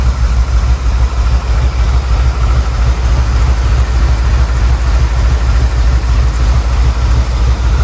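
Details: 1979 Ford Bronco, 351M V8, first start: deep idle with a lumpy throb about three pulses a second and slight surging. Rough idle, carb needs fine-tuning.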